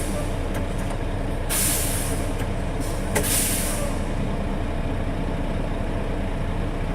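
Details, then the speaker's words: International truck, air brake inspection at idle. After pressure is dropped, the governor cuts back in (expected within 30 psi of cut-out) and the compressor refills the tanks. Steady low chug with two short air hisses; normal recharge. "yep and I governor's cutback in and start to fill up pressure again so that systems running"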